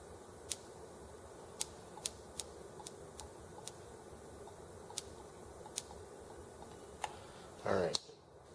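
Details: R18 engine's replacement ignition module from Enginediy.com, with Hall sensor refitted right side up after first being upside down: sharp dry snaps about one or two a second in a quiet room; ignition sparking properly.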